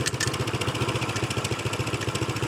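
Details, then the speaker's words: Honda PCX150 scooter running: a tinny, rattly chatter on each beat, heard off the right side, traced to the factory exhaust baffle vibrating loose. "It is! Oh my God, I can see it moving. It's the exhaust baffle. The factory exhaust baffle is having a conniption fit."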